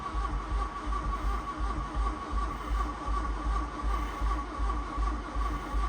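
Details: Mk1 VW Golf GLi Karmann Cabriolet parked for 31 years, on a battery pack: steady, even starter cranking with regular low chug and no firing; engine spins freely but doesn't catch.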